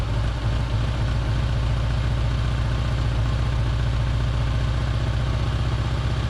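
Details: Holden Barina ML engine after plug change and carby bolts tightened to rule out vacuum leaks: low, uneven lumpy throbbing; runs fairly well but a little rough, especially after sitting; a backfire seen, owner suspects gases feeding back through reed valve/EGR.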